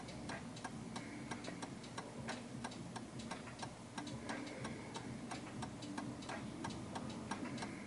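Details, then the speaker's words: 1930s 8-day striking oak-case Enfield mantel clock after adjusting the off-center beat by pushing the setting: an even tick-tock at about ninety beats a minute with equally spaced halves. The clock is now in beat. "That sounds absolutely perfect. And the reason why it does is because the tick tock is perfect."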